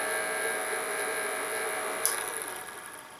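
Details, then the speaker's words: Vantec HX4R (NST-640S3R-BK) enclosure fan, noisy after about a year: steady buzzy whine with several high tones that winds down after switch-off. Overtightened screws likely stress the fan frame against the plastic housing, and loosening them stopped the noise. "if you can't hear this thing is quite noisy pretty annoying that we have a girl on and maybe probably over a year now"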